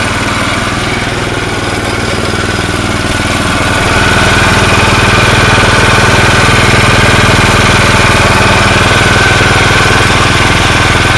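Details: Tecumseh snow blower engine with Chinese carburetor after bending the float to full height, choke on: small single-cylinder holding a steady, even beat of about four pulses a second with no stumbles; running normally after the fix.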